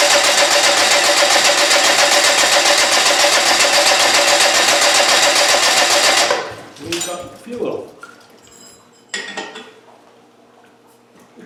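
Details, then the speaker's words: Land Rover 200Tdi diesel cranked via an ignition switch to prime fuel, injector pump wired: steady, even, brisk cranking about six seconds; strong Rollcore starter sounds healthy. "take some cranking to get fuel up that starter sounds good now those uh roll core starters are very good"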